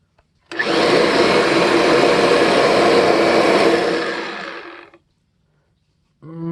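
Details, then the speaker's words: Kirby Diamond Edition vacuum after transmission work and bearing greasing, high-speed wind-down in neutral: steady motor roar then cut-off, with a faint clacking whine as it spins down; owner suspects the transmission body may need replacing. "yeah I'm still hearing a little bit of a clacking whine down so I'm gonna guess that it's possible that I might need to replace the body of the transmission"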